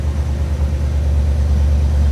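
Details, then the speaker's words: A 1956 Ford Thunderbird V8 that sat about 5 years fires right up on its first crank of 10–15 seconds and runs with a deep, steady rumble; no fuel leaks seen at first. "Got fuel, lit right up. That's very promising."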